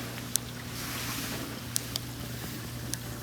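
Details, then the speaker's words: Miele dishwasher after replacing a noisy, slow-filling fill valve with a generic one, test fill: steady low hum and even water rush with only a few light clicks, no machine-gun chatter; normal fill. "filling correctly without all that crazy machine gun noise so that's the correct noise that we should hear"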